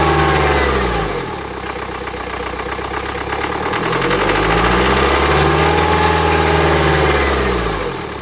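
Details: 2009 BMW X1 xDrive, 2.0 L N47D20D diesel (130 kW/177 PS), 224,000 km, idling with a wavering whistle sweeping up and down over the diesel clatter; the distinctive noise indicates turbocharger damage.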